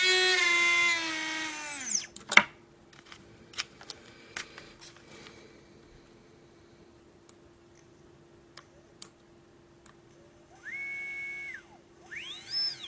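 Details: Readytosky 1804 quadcopter motor on a vibration test after calibration: a tiny motor shrieks up to a high whine, winds down with a rough buzzing edge, then blips again. Bad bearing, crazy vibration; magnets reportedly come loose from vibration.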